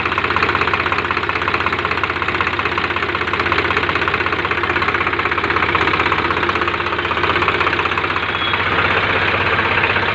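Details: Swraj 735 tractor diesel that overheated and seized from a lack of clean coolant, restarted after repair: steady, even clatter at idle with no loud knock standing out; normal idle.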